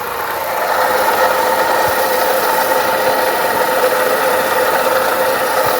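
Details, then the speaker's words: 2011 Ford Ka Zetec at idle: steady whirring whine over the engine that doesn't change; worn water pump with rotor play, fixed by replacing the water pump. "ó Vocês estão ouvindo o barulho né a bomba d'água É isso aí eu vou desmontar ali e mostro para vocês a bomba beleza mas o barulho é bomba d'água que não Ford Ka"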